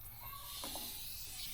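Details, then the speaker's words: Blow-off valve bench test under applied air pressure: faint steady airy hiss with no pulsing as air leaks past the valve seal; the valve also won't hold vacuum, attributed to its design and prior tampering. "So, you can hear it leaking out of there. And uh we'll take it apart and see exactly why that is."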